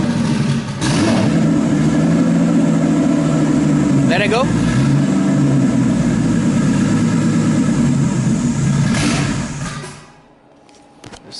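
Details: RB26-swapped Subaru WRX on a new battery (about 13 V): it catches and is held on the throttle with a ragged, uneven note, then dies; stalling, which the owner suspects is down to the tune and air-fuel targets.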